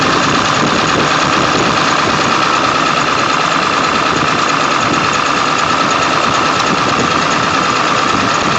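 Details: 1999 Ford F-350 7.3L diesel, cold start after days unused, block heater plugged in overnight, no check engine light: loud clatter with an uneven, lumpy stumble about once a second; shaking disappears on restart.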